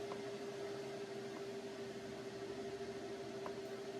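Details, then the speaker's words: PC running CPU miner instances at 58% memory, opening 100 more: steady, fairly high whirring hum at even pitch with no rattle or scrape; CPU fan spinning fast under heavy load. "We open up 100 more and see what happens. Yeah, the fan speed is really picking up."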